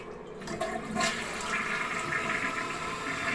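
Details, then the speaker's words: 2001 Eljer Savoy toilet tested after its broken handle was replaced: short handle click, then a steady rush of water draining and refilling, with nothing hitting the lid. The flush works normally. "Okay, so now we're going to go ahead and test it with this new handle. Here we go. And that sounded like it worked."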